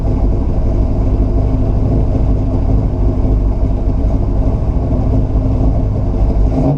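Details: 1969 Buick Special Deluxe V8 with fuel-starvation stalling, after carburetor rebuild and moving distributor timing: deep steady rumble with slightly uneven beat, now holding idle on its own but still lumpy; rough idle.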